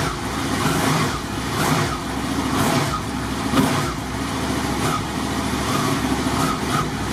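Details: Motorcycle with 22,000 miles starts and settles into an even idle with some background rumble and no clatter or misfire; charge check at the battery reads 13.89 V DC with the engine running, so it is charging and the engine runs healthy.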